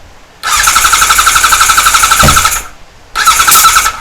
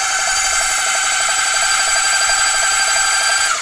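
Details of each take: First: 1978 Kawasaki Z1-R, freshly rebuilt engine, first start attempt with fuel on and enricher: two bursts of fast cranking at about four beats a second with faint squeal, never catches; owner wonders if he wired it backwards. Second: 1978 Kawasaki Z1-R, freshly rebuilt engine back from engine builder, first cranking with spark plugs out to pump oil around: steady high-pitched starter whir, light quick even pulses, no compression strain; normal cranking.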